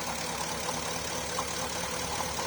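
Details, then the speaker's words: Porsche Cayenne 955 running rough under 3000 rpm, running on the left-hand fuel pump alone: only about 2 bar instead of 4, and the idle is lumpy with irregular stumbles and misfires, confirming a faulty left-hand pump. "that one's not running properly running near 200 just two bar that's two bars so that one struck me big time so that's confirmed the problem is the fuel pump left hand side"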